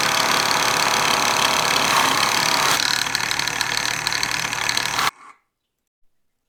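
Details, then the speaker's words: Very old buffing tool buffing a T6 aluminum bracket: a loose, quick, fairly even rattle of about four per second while the wheel spins, then it stops. Worn buffer motor rattle. "listen to that thing rattle it sounds like an old worn out 22 re with a bunch of dudes in the cab drinking Twisted Tea"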